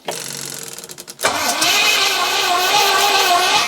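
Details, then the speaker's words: 4.6-litre Rover V8, carbureted, first crank with choke held by hand: even starter chugging then a steady fast spin with no pops or firing; cranks but won't start, fuel confirmed reaching unions, cause unconfirmed. "It's not even popping. No, it's not doing anything, is it?"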